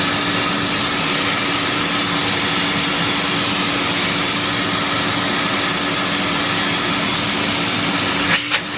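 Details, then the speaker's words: Compact TriStar C8 vacuum, reassembled after Ametek motor bearing replacement and greasing: steady high rushing roar with a constant mid hum, no rattle or scraping, winding down at switch-off; healthy motor. "really nice okay one Tristar done now I guess I got to do the other one"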